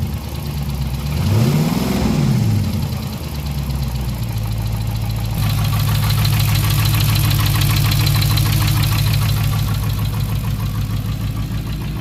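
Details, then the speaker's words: 2020 Dodge Charger 6.4L V8 at idle: steady light tapping about three a second over the low rumble, heard from the front area under the valve cover, maybe cylinder 2; engine ticking, cause not confirmed. "And here we have a noise coming from the engine. And it sounds like it's somewhere in the front area. Maybe cylinder 2. I believe that's what it is."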